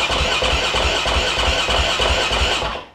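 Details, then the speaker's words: KTM 530 EXC supermoto single-cylinder, first start after piston change rebuild: fires and settles into even crisp beat about three pulses a second, no knocking or rattle before shutdown; sounds good, normal running. "låter bra Kör på gasa till typ två gånger bar"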